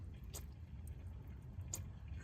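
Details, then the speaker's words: 1991 Ford F350 7.3 IDI diesel, owner-built two-pump aftermarket fuel system, key-on priming test with little fuel: few soft irregular drips over low quiet hum; fuel leak found, source not yet located; fuel leak dripping. "that's good to know we have a fuel leak so actually that's a good test now I need to fix that"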